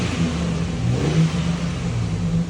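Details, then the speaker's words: 2004 Chevy Silverado 4.3L RWD running after a crank-no-start was fixed: distributor cap corrosion causing weak spark was the cause, and excess fuel was cleared. A steady low rumble revs up smoothly with even firing and no misses. "can rev her up and she catches just like she should, like she's running great."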